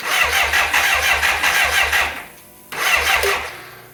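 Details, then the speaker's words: 1985 BMW K100 with fire damage that sat 6 years, brought in for wiring repair: starter churns in quick even pulses, about three a second, with no firing, then stops and retries. Cranks but won't start; a relay with something loose inside is suspected. "Okay, we got the bike torn down again, trying to find out why this thing won't start."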